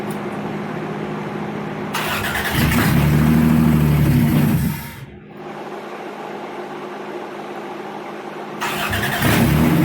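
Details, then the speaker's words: Toyota T100 after a 3.0 to 3.4 V6 engine swap, first start at the end of day two: it revs up, drops back and runs lumpy and uneven at idle; rough running, with a fuel problem or vacuum lines suspected. "okay that's enough for today sounds like it's got a fuel problem maybe some vacuum lines we're gonna pick it up again tomorrow"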